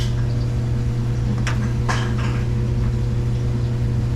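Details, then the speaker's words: Samsung DVE50M7450W dryer on empty cycle after heating repair (ran but would not heat). Steady, even low hum, constant drone, couple of light drum taps; running normally and heating again. "I can already hear it starting I can already feel it starting to get warmer"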